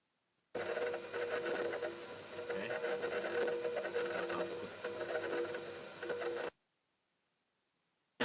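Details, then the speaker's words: Sharp refrigerator, a year old, not cooling with compressor running, charged partially with refrigerant for a capillary test: soft steady hiss with faint gurgle at the evaporator shows refrigerant flowing, capillary not blocked; condenser and filter warm. "Jadi seperti ini walaupun frame ini masih tekanan sedikit, belum full, ini ada bunyi, artinya ini tidak buntu ini. Artinya tidak buntu kalau ada suara ini di evap."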